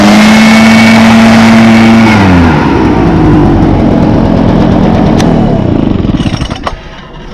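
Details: 2014 Echo PB500T backpack blower (50.8 cc two-stroke, built August 2014, used the week before), started with choke and primes: high, steady blower whine that drops cleanly off throttle and winds down evenly; runs fine.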